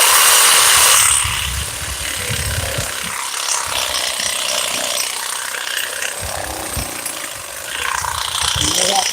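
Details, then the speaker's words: DeWalt XRP cordless Sawzall on a used, not fully charged battery: strong rasping strokes fade to a softer weaker rattle during the cut as the battery sags, losing power. "Hear the sound? It's getting weak."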